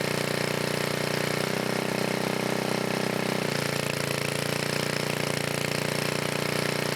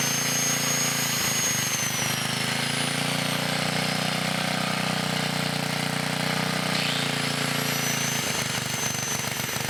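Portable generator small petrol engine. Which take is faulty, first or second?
second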